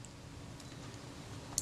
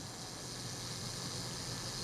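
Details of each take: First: Kodak Retina IIIc leaf shutter, cocked, speed ring and cam plate removed: only a faint click from the flash sync mechanism, no blade snap; shutter not releasing, blades suspected glued shut with oil. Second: Kodak Retina IIIc camera after servicing a very stuck shutter: soft, even mechanical whirr runs steadily for about eight seconds, then two clean clicks; self-timer working properly.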